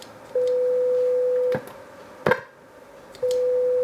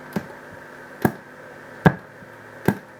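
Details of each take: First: Boss PH-3 phase shifter pedal being repaired (spare parts from an earlier unit): clean steady test tone in three bursts with clicks, passing through the buffered bypass; bypass now working while the effect-on path still isn't. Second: Boss PH-3 phase shifter pedal under repair, 1 V RMS 500 Hz test signal in: four sharp pops, one each time the pedal switches on or off, with no tone passing between them; output works, input suspected stuck in mute.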